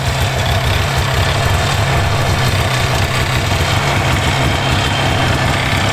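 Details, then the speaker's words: 1988 Yamaha Exciter 2 snowmobile, two-stroke, revived after sitting in a barn for decades, cold and warming up, idled up slightly: steady, even idle with low smooth burble, no misses or knocks; normal cold idle. "I'm letting it warm up because you're not supposed to let it, you know, get too. It's cold. I'm gonna idle it up a little bit."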